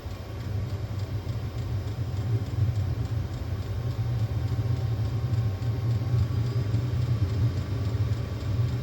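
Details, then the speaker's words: Diesel park heater after unplugging, running after ignition: steady deep burner and fan rumble building gently as it ramps toward temperature, then kicks down; normal operation. "and it'll ramp up to get to a desired temperature that it thinks it needs to be. And then once it's done, it'll kick back down."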